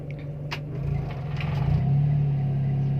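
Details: Timor DOHC engine, warm idle with AC switched on: rpm rises slightly to around 1000 then settles near 900, steady low hum firming up under load with no hunting; normal idle under AC load.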